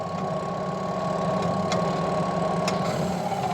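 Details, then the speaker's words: Washing machine that won't spin and only hums: a steady electrical hum with no spin-up, the motor held by the brake because its pull wire is broken. Pulling the wire lets it spin; spin motor humming, stalled by a stuck brake. "kita tutup lagi. Nah, dia akan ngerem, dia akan mendengung ya."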